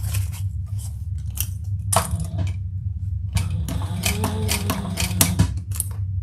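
Bursts of sharp, clattering clicks as the needle punches the fabric, loud over a quiet room; stitching still works, cause unclear.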